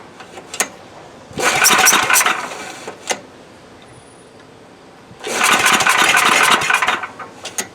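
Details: Coleman Powermate MAXA 5000 ER generator, old 10 hp engine, new replacement carb fitted: two recoil pulls of fast hollow chuffing that never catch; plug dry, no fuel reaching cylinder, no start.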